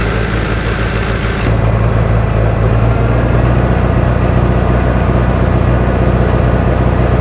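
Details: Rebuilt John Deere 1010 diesel engine first run after rebuild, still smoky while new rings seat: loud, even diesel clatter at steady fast idle with no knocks, misses or grinding; runs smoothly.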